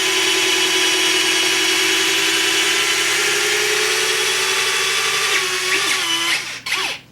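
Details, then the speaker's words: FMS/BlitzRCWorks Super B-25 RC plane electric retracts extending, drawing about 0.1–0.15 A: a steady motor whine for about six seconds, pitch sagging slightly, then a clean stop as the gear locks down; normal operation. "I don't know if you can hear the buzzing but uh that buzzing's pulling about oh what's the amp meter show 0 one amp that's what we got here .1 1 amp I'm sorry and these ret tracks do use a little power"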